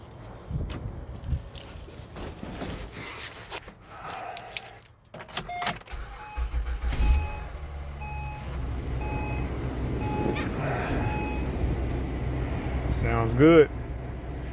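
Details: 2012 Acura TL after alternator replacement (earlier wouldn't restart after driving, battery replaced), in very cold weather: engine settles into a steady even low hum with no knock, squeal or whine; normal idle.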